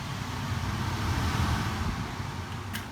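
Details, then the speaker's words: Existing furnace in a finished basement, paired with a roughly 2-year-old 4-ton Trane outdoor unit: a steady low rushing blower roar. One main cause is return air drawn straight out of the back of the cabinet. "and so the existing unit of course course right there just feeds immediately out of the back of the cabinet right into the return and of course that's one of the main problems"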